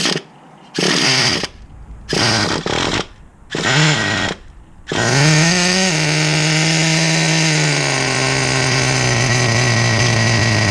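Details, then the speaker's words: Rebuilt 2006 Traxxas Nitro 4-Tec with TRX 3.3 engine, first tank after rebuild: short high buzzing bursts that die out when throttled, then it catches and holds a steady rev; engine cuts out on throttle, owner unsure if idle or air-fuel mixture. "So I was just giving it a bit of gas. You can see it just cuts out like that on me."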